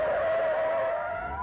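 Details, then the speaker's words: Race car with oversteer, driver deliberately adding a lot of throttle: loud steady tire squeal rising in pitch as the rear tires slide and the car spins around; power oversteer rear tire skid. "One way of making it slide more would be to add throttle. Let's try that. So we'll get the rear end to come out, add a lot of power,"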